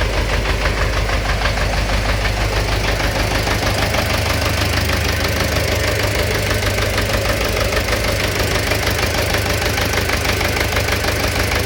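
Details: Engine knock at idle: a regular knock rides over the engine beat; cause unknown.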